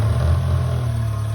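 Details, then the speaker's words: Subaru Sambar kei truck with carburetor, first start after winter once the fuel pump fed fuel: short, steady, low idle with no misses, knocks or stumbles; normal idle. "all right put the air filter back up all right she sounds pretty good"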